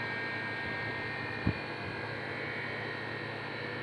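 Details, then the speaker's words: Refrigerated compressed-air dryer after maintenance, with a timer-controlled drain valve that opens for a few seconds. Starting its cooling cycle: steady low hum with an even whine and one drain-valve click; running normally. "هو دلوقتي بيبدا في عمليه التبريد اختبار مجفف الهواء"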